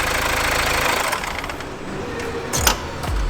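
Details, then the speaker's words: Chevrolet Aveo, reconditioned engine with new oil cooler, started then stopped: rough running with uneven belt slapping, then winds down; seized alternator pulley barely spins, jerking the replaced accessory belt; needs new belt and alternator pulley. "Rares: is it the alternator reel? Dragos: yes! Rares: since I saw that ... Dragos: ... it doesn't really spin, anymore ... Rares: ... seems stuck."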